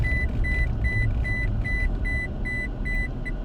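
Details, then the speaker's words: Toyota Tacoma brought to a complete stop from about 15 mph using only the parking brake: steady quick high beeps over low engine rumble warn the parking brake is engaged, with park shown on the gauge cluster. "you go now you can hear the truck beeping at me it's telling me the parking brake is on right and it shows a shows parked in the gauge cluster so indeed you know it's on"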